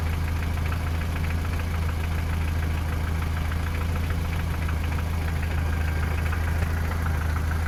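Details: 3S-family engine in a VAZ 2121 (Lada 4x4) at idle: steady light tapping about four per second near cylinders 3 and 4, by the camshafts or lower; valve clearances, gear and cam beds already checked; engine knock, cause unknown.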